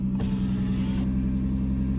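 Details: 2005 Lexus ES 330 at a slightly rough idle: deep loud droning rumble from the rear of the car that persists as rpm drops and rises with throttle and while driving; owner was told it comes from one catalytic converter, suspects a muffler leak.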